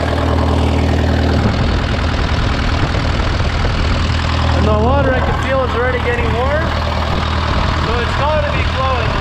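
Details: Case VAC tractor after an aftermarket water pump was fitted, warming up with the gauge at about 20–35°C and coolant flowing; it had earlier overheated to 80° after a coolant change. A steady, even low chug with no knocks or hunting: a normal idle.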